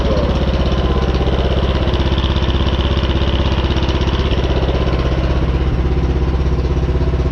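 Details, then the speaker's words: Craftsman R-1000 rear-engine 30-inch riding mower, single-cylinder about 10 hp, started with a little choke after carburetor work and valve cover reinstalled: steady idle with a light regular knock about twice a second; cause unconfirmed. "though I don't know it's still kind of has that knocking sound but it's not terrible so I'm going to call it a win for now"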